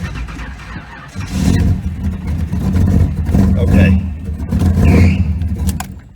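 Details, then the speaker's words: Car with a failing alternator not recharging the battery after several starts: the engine turns over sluggishly for a few seconds before catching and revving, with a belt squeak also present. Slow cranking from an undercharged battery. "the point is I wanted you to hear how that battery was lagging because I've started the core I've started the car like four times now and I every time I started I take some from that battery and the alternator is not putting back"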